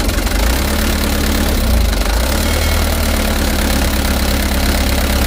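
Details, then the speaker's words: Mitsubishi Canter HDX diesel after Bosch injection pump calibration and plunger replacement: starts easily but thumps unevenly and bogs with a limping, irregular beat and heavy shaking, worse when hot; misfire and rough running. "kita tes hidupkan hidupnya lumayan mudah tetapi di sini gunangan mesin yang lumayan parah"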